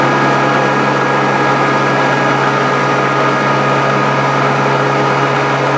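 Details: Grizzly G0458 18in open-arm drum sander, running again after breaking down and being reassembled: smooth, constant motor hum with a few steady tones, no knocking or grinding; sander running fine and works on wood.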